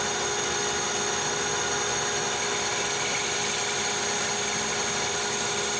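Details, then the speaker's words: Lathe high-speed facing of hardest-state heat-treated 4140 chrome-moly steel, 0.010 depth of cut; steady high singing hiss, no chatter or squeal, almost mirror, glass-like finish; normal facing cut. "we get the the best finish from my point of view it's almost mirror finish"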